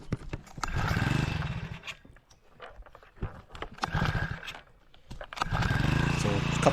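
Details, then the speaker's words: 4hp Hangkai outboard restarted after running the carb dry and turning the fuel cock back on; a few sputtering catches on the pull cord, then fires and runs evenly, normally easy starting. "a couple of pulls and away she goes again. So it's an easy engine to start this normally, so that's why I kind of want to keep it that way."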